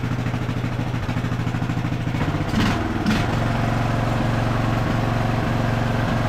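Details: Craftsman LT1000 riding mower after carburetor rebuild and air filter fitted, upper shroud off so not fully tuned: steady, even single-cylinder putter at idle, low and smooth with no misses or knocks; normal idle.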